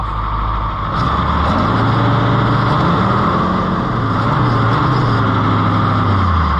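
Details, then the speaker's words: Oliver 2255 tractor diesel right after an oil and filter service, idling as oil pressure climbs so the filters fill, with no leaks: steady, even low chug with no knocks, rattles or misses; normal diesel idle. "well pressure's climbing that's good we'll let it run a second then we'll top it off"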